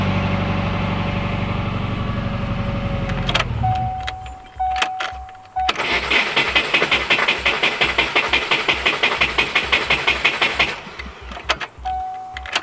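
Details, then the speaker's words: Cheap Subaru WRX project car, possible aftermarket alarm wiring: engine dies, then a long uneven crank with rough rhythmic pulses about three a second before it reluctantly catches; starter motor sounds unhealthy, hard starting, cause not confirmed. "there might be some sort of issue the starter motor definitely doesn't sound good and I didn't really want to start to earlier"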